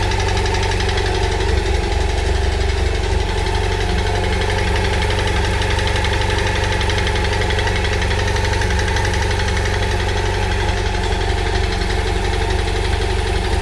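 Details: BMW F800GS motorcycle at idle, loud steady engine with a regular tapping pulse about two per second riding over it; abnormal engine noise, cause not identified.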